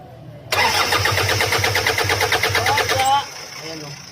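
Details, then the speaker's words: Toyota Fortuner cranks but will not start; scan showed fuel leak detected, diesel visibly spraying on cranking; starter churns evenly about three beats a second without catching. Mechanic suspects leaking fuel line or injector problem. "may problema siguro guys yung injector nito kaya okay kaya yung fel line siguro butas kaya lumalabas yung kurodo"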